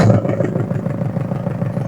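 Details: Car with missing and jerking that plug cleaning only briefly cured, low coolant: uneven, lumpy idle with irregular dips; one cylinder dropping out, head gasket blown between two cylinders leaking compression.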